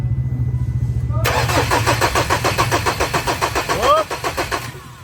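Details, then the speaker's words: 2018 Ford Everest 2.2 diesel with a crank-no-start, fuel line loosened to check for spray: steady starter cranking with no catch and no fuel delivery. "wala no Wala start wala so Yan yung problema kaya ayaw siyang umandar kasi wala siyang ihihi"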